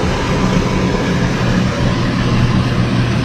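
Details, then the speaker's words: Shinko lab steam turbine at startup warm-up, valve opened about three turns: steady rushing hiss over a low, even rumble as lots of condensate drains from the exhaust line before exhaust pressure reaches about 1 bar. Normal condensate draining during warm-up. "right now we are draining the condensate from the exhaust line, and there is a lot of condensate."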